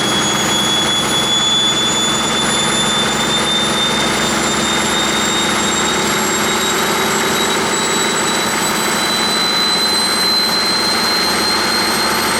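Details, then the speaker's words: 1959 Caterpillar D337F diesel generator set, ex-hospital, barn-stored 10–12 years, about 959–960 hours, warming up unloaded toward operating temperature: steady, even roar with a slowly climbing whine, no knocks or misses; normal unloaded running. "it seems to do pretty well of course them have a load on it or anything you know it's it's barely up to operating temperature"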